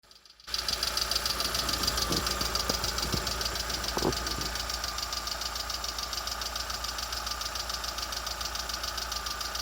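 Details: Lada Vesta SW Cross 1.6 (106 hp): steady, fairly even light knocking about three and a half per second over the running engine, cause unknown; engine knock.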